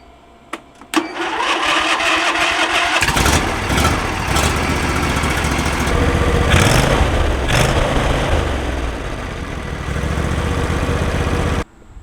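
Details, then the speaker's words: John Deere LA130 with Briggs & Stratton 21 hp engine, test-fired after replacing the left (non-discharge side) cylinder head for a bent push rod that caused low power and backfiring; valve cover still off. Quick crank, catches at once, smooth steady idle with no popping or backfire. "we're going to go ahead and fire it up, test fire, just to make sure everything looks good, sounds good, and hopefully it starts the first time."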